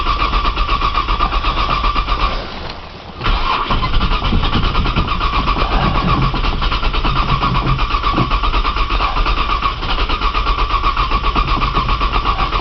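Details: Cold 1995 Nissan Maxima, 210,000 miles, push-button start, in snow, new battery, cranking on a jump box while priming fuel: steady fast cranking at about four beats a second for many seconds with no firing. Long crank, no start when cold.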